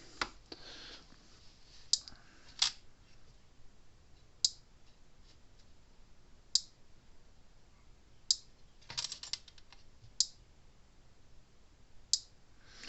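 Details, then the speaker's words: Gallagher Power Plus S50 solar fence charger on a bench supply: sharp crackling snaps about every two seconds with each pulse; output works for now but a spark inside the transformer, arcing internally, may fail within a week or a year. "But yeah, that transformer's arcing inside, and that's working fine right now. But there's probably some kind of spark on the inside of the transformer, and it might work for another week, another year, I don't know."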